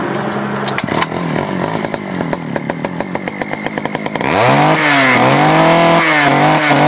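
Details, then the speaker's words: Poulan 4200 chainsaw, cold start, crackles unevenly then revs to a high, slightly flat, hunting scream; reported running a little lean, being adjusted at the low (bottom) carburetor screw. "sent me this saw and he said it was running a little lean told me to play around with the the low Auto screw which is the botb screw"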